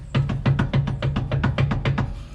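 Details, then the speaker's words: Commercial vehicle air disc brake, axle jacked up, brakes released: quick light metallic clunks as the caliper is rocked by hand, normal running clearance about a nickel's thickness. "you hear that clunk it's just a slight clunk I have a little bit of movement here"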